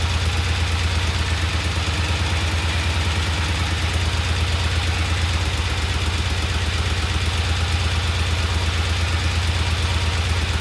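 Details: Vintage Norton twin motorcycle at idle, second start, after adding oil to the primary to cure a clacking noise; even, steady low thump with no chain clatter, sounding healthy and settled.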